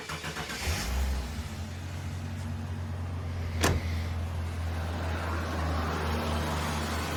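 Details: Ford EL Falcon Futura, off the road for years, after repairs with water in the cooling system: catches quickly after a brief crank, then settles into an even, steady idle with no knocks or misses; runs healthy.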